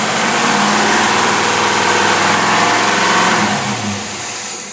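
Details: Rochester Quadrajet marine carburetor on a V8 test engine, timing 30° at 3,000 rpm, no electric choke, oxygenated unleaded fuel: steady even roar at raised revs, easing down smoothly as the throttle closes, no misses or stumble; mixture thins toward 14.7 at speed.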